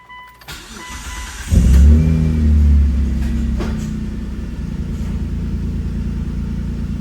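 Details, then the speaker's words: Dodge with Mitsubishi 6G72 engine started after valve cover gasket replacement (was burning oil off rear valve cover) and exhaust work; cranks, catches with brief rev, settles into steady even idle, no hiss or stumble, no huge vacuum leaks. "Sounds like it's running pretty good. Back together, no huge vacuum leaks that I can tell."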